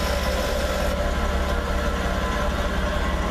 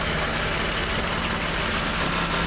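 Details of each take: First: Jeep idling in gear, foot on the brake, after a rattle that began following a rear main seal repair was traced to a bent skid plate and fixed with fabricated spacers. Steady low drone with no rattle or buzz underneath: normal idle. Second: Jeep at steady idle: dry, buzzy metallic rattle, worsening since a rear main seal repair; the exhaust pipe is rattling against a skid plate probably bent during that repair, fixed with fabricated spacers.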